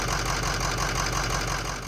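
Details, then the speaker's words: Auction 6.0 Powerstroke diesel at idle: a lumpy, uneven knock with a periodic stumble. The number six injector is dead; the boost hose to the MAP sensor is also broken off. "we have a down injector so that needs fixing"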